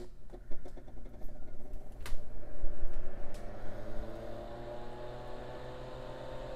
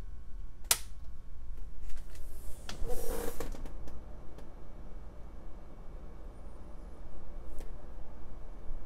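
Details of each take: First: Tektronix TM5006 power frame with its original quiet-type 120 V AC cooling fan, before low-noise upgrade; click at switch-on then whirring hum climbing in pitch as it spins up, significant noise too loud for audio bench work. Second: Tektronix TM5006 power frame after swapping its original fan for a Noctua NF-S12A FLX 12 V fan on a 12 V LED driver; soft steady low hum with handling clicks, much quieter, normal.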